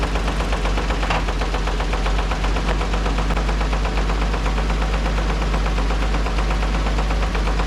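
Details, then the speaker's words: Dodge M37 military truck engine, first run after sitting about 15 years, even compression: loud regular knocking about four per second over a rough low idle, hesitating; owner suspects rod knock; engine knock. "definitely got a little knocky noise coming from somewhere hesitating a little bit this thing runs really good other than that knock I'm leaning towards a rod knock"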